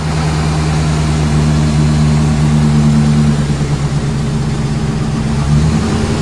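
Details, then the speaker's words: Chevy 350 gas truck after draining diesel-contaminated fuel, revs held constant to flush through: steady even low rumble, no stumble or miss; earlier smoke rings showed cylinders still missing, now sounds good despite high kilometers. "sounds good real good sound and motor for all those kilometers"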